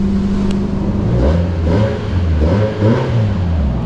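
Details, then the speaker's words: 2014 Nissan Versa, 105,820 miles, running after startup during oil service: deep loud droning exhaust rising and falling with light revs, like the muffler is off; exhaust leak or missing muffler suspected, not confirmed. "kind of sounds like the young folks make it sound on purpose with a muffler off of there"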